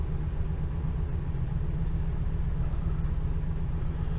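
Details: 2002 Ford Econoline E350 5.4 Triton V8, just over 100,000 miles, after new spark plugs and one coil pack for a P0351 misfire: low, even rumble, no stumble; idles smoothly.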